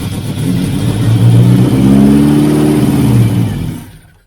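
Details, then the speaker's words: 1989 Austin Mini Designer 998cc A-series, first run in about three years, half exhaust fitted, choke on: revs climb smoothly, hold, fall and shut off, no tapping or valve clatter; normal revving. "I think it's got fuel delivery no tapping noises no oil pouring out of anywhere no fuel pouring out of anywhere um no problems with the valves I couldn't hear any sticking valves or bent push rod"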